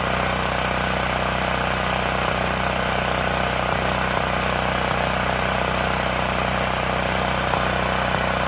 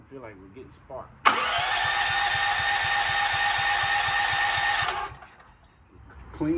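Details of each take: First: Extreme Contractor Series 6,500 W (8,500 W surge) gas generator, bought almost 20 years ago and long stored, after revival and a bolt tightened to cut vibration: steady, even drone with a regular low beat, no misses or knocks; running smoothly. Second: Gas generator, about 20 years old and stored for years, partly reassembled with the solenoid hooked up: spins over at about four pulses a second without firing, then stops; cranks but won't start, and the owner found almost no gas.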